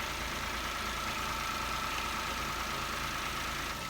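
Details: Toyota Aygo/Peugeot 107/Citroen C1 1KR-FE three-cylinder after replacing the failed-bearing water pump, broken drive belt and pink antifreeze, idling to circulate coolant: even settled pace, faint belt hum, no knocks or squeals; normal idle.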